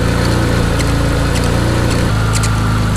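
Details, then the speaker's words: Mitsubishi 3000GT VR4 with rebuilt forged engine and 15g turbos, about 200 miles on cheap new pulleys: intermittent short squeak at idle over rough thrum; owner suspects water pump pulley, pulley showed some play, not confirmed. "weak every now and then i'm always positive it's coming from that water pump coming from the water pump pulley i think dude that is so weird"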